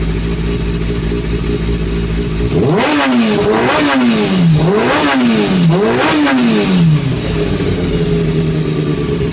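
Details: Kawasaki ZX-6R 636 (2003–2004) inline-four revving up and down: a metallic clatter rises with revs. Owner suspects the timing gear; resetting the tensioner per the manual changed nothing. Cause unknown.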